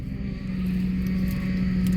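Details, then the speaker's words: 2008 Ford Expedition, ex-police, after replacing the power steering rack and lines and the lower radiator hose, with fluids topped up, idling: steady whine from the power steering pump due to air in the system, bled by turning lock to lock. "that noise is the power steering pump down there so I added fluid I added a coolant I added oil so I'm letting it run"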